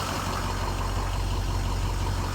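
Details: Ford F-550 Lariat diesel with fresh engine, turbo, injectors, engine harness and balanced rotating assembly, manual shift: low, steady idle with even rumble, no knocks or misses; normal idle.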